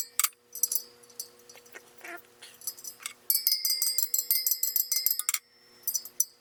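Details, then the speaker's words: Sur Ron Light Bee supermoto front wheel build, final round after tightening a dead-sounding spoke: bright clear ringing pings from each tapped spoke rather than dull, spokes evenly tensioned. "okay that sounds good to me all right so i'm gonna go check the true out"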